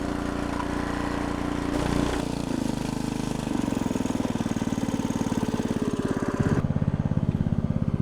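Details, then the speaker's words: Log splitter small engine after carburetor jets cleaned with carb cleaner and compressed air, splitting wood: dips briefly as load comes on, then settles into steady even beat; running healthily under load. "put it back together pull it and it crank and the autle I was able to turn it up I'm hoping now sounding pretty good"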